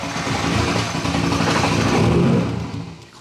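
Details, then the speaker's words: Nissan R32 Skyline with RB20 engine (RB25 harness converted), first start after four years, no exhaust fitted: loud open-pipe revs being blipped with an uneven, stumbling beat; partial misfire, unsure if it is only the missing exhaust. "is it misfire is it because it has no exhaust this sounds funny"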